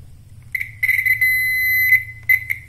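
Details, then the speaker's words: Piezo buzzer speaker from a car speedometer, powered by a 12 V adapter, the source of modern-car turn signal sound: shrill, piercing on-off bursts with one longer hold; sounding normally. "jadi suara flasher yang mobil-mobil sedan atau mobil mewah atau mobil muda itu dia eh kurang lebihnya gambarannya dihasilkan oleh speaker bzer seperti ini"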